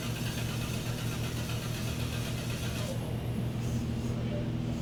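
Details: 2011 Chrysler Town & Country/Grand Caravan 3.6L, 115,000 miles: engine cranks at an even rhythm for several seconds but never fires, intermittent crank-no-start caught in the act, with no voltage from the TIPM and no current to the fuel pump.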